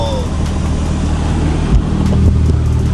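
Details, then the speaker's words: Turbo NB1 Mazda Miata, a barn-find car, engine running after the blower fan was removed and cleared of debris. Smooth, even fan rush with no rattle or scraping, much quieter; normal blower fan operation. "It is so much quieter. Like, the fan getting all that debris and stuff out of there."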